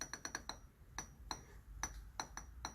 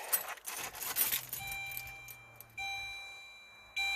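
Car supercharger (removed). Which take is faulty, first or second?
first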